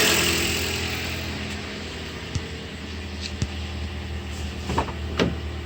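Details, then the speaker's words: Toyota 4-cylinder; hose disconnected under hood to simulate vacuum leak, steady airy hiss over even idle with light clicks: external vacuum leak. "you can hear the hissing from the vacuum leak that would be a related symptom"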